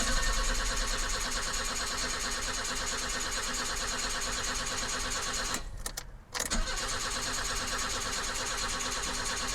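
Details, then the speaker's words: 1984 BMW 318i E30 that sat four years, crank-no-start from running out of fuel: after adding about four gallons, long steady cranking to rebuild fuel pressure to the injectors, stumbling, briefly cutting out, then catching and settling. "I think she was just out of fuel yeah buddy there we go she's back what an awesome car"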